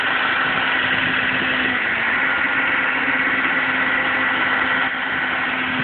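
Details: 2007 Audi A4 3.2 quattro petrol: steady droning hum over the running noise, often appearing when driven aggressively; cause unknown.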